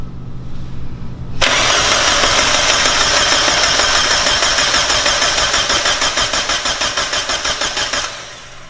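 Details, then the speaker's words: Mazda Miata with a new engine, first start attempt: starter cranks evenly about three times a second and the engine never catches; no spark. "okay hold on no there's no ignition"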